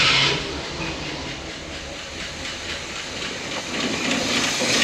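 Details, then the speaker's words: 1971 Cadillac Eldorado 500 cubic inch 8.2L V8 barn find, just started: steady airy hiss over a soft, fairly even idle that barely changes, owner suspects a small vacuum leak somewhere; hissing at idle, cause not confirmed. "I mean kind of don't worry about that we got a small vacuum Le somewhere"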